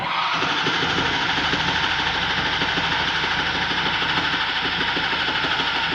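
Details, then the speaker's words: 2011 Ford F550 6.7 Powerstroke diesel, previously knocking and blowing return lines apart, after repair: steady idle with evenly spaced clatter and no odd knock; knock gone, normal idle. "the knock is gone listen to that"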